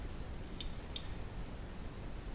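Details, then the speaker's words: Kossel Delta 3D printer bed probe, brass terminal modified so the spring no longer snags: probe pushed up gently and released gives two crisp clicks about a third of a second apart, the healthy double click; a missing click means intermittent probing. "just slightly push the probe up and just gently Let It Go and if you don't hear that double click"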